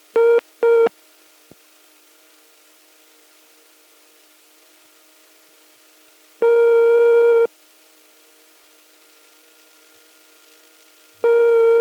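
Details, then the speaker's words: British telephone exchange sounds, 1971: vibrator-type and German PABX ringing machine Morse S dial tone (dot-dot-dot), then long ringing tone, then repeating busy tone; normal. "following the dial tone in each case you've got ringing turn and then busy tone"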